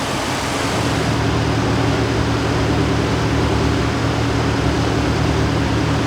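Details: Ford 460 big block V8 with Holley Sniper 2 EFI just fitted: steady fast idle stuck at 1100 rpm, can't go lower, no vacuum leaks found.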